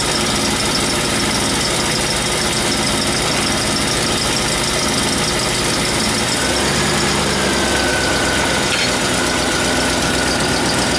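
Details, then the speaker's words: 1991 Mustang GT at idle with the mid pipe not fully bolted up; loud, raw note with a sharp ticking puff, severe exhaust leak on one side, apparently at the header flange where it meets the head pipe. "severe exhaust leakage on this side sounds like at the header flange where it meets the head pipe"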